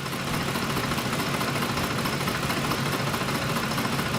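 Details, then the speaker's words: 2004 Ford F-150 V8 with aftermarket cam phasers, just warmed up: rough, shaking idle with busy ticking valvetrain noise from both sides and the check engine light flashing. A cam phaser problem is suspected; no oil pressure gauge is fitted. "noises I can hear it actually on I think on both sides check engine light flashing"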